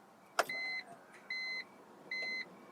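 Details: BMW E46 M3 (S54 engine) after fuel pump replacement, key to position 2: a click followed by three short, steady high-pitched tones, evenly spaced; the new fuel pump priming normally.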